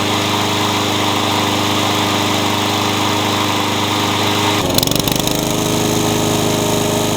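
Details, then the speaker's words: Honda pressure-washer engine repurposed onto a lawn mower, pumping black smoke as if flooding despite two carburetors tried, a new coil and a checked plug: uneven, labouring beat that stumbles midway and picks up again; rough running. "You could probably hear it run before. It didn't sound very good. It was pumping out black smoke like it's flooding."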